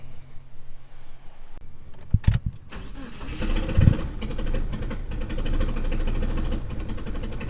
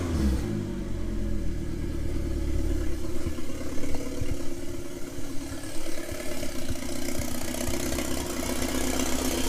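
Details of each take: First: 1997 Mitsubishi Eclipse GSX 6-bolt swap, first start attempt on a jump pack: a few short clicks, then steady cranking without catching; injector leak noted, cam angle sensor wiring later rewired. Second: 1997 Mitsubishi Eclipse GSX 6-bolt swap, long-sitting engine, after rewiring cam angle sensor: cranks, catches, blips a few times, then settles to steady low idle without misses; first start, runs normally.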